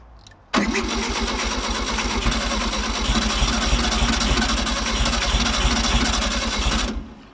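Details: 1964 VW Beetle, not run in nearly 20 years, on its original carburettor with a reused base gasket: six seconds of steady starter churning at about three turns a second with a heavy low thrum, but it never catches.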